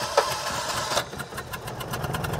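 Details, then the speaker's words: 1985 Citroen 2CV6 Special two-cylinder barn find, long unstarted, oil ladled into cylinders and electronic ignition set up: starter churns briefly, then the twin catches and settles into a quick, even putter, with a bit of smoke from the oil. "yeah there she goes wow yeah she sang Three"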